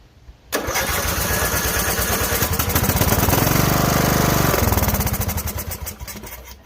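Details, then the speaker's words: Cranked on a booster pack in override: the starter spins the engine steadily at about three turns a second, but it never fires. It has gas that smells good; the kill solenoid is suspected of blocking fuel. "all right now we were expecting that the real reality is it's still got the kill solenoid in it so we'll kick it once more just for the giggles of it"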